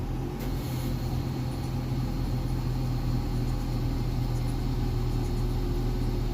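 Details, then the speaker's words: Nissan Sylphy with a replacement short-block engine idling low, lumpy and unsteady, lacking power and tending to stall; new spark plugs and coils did not fix it. "คือเครื่องตัวนี้มีปัญหาเวลาติดเครื่องแล้วเบาดับนะครับเร่งไม่ขึ้นก็ดับไปเลยนะครับ"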